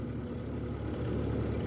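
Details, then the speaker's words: 1950 Ford 8N tractor under way after clutch takes up, carb possibly lean, abrupt clutch: steady low engine drone growing louder and rougher; gearbox running noisily, cause unknown. "transmission is pretty loud see what happens yeah that's a lot lot faster"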